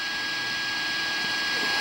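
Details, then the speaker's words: Arduino AM transmitter on a roughly 12 V AA battery pack, USB cable unplugged, heard through a radio: steady high whine near 1.6 kHz over hiss, the idle carrier noise when nothing is being transmitted. "to try and eliminate some of the sound the noise that it's making when it's not transmitting and I'll turn up the radio here and you can hear that whine"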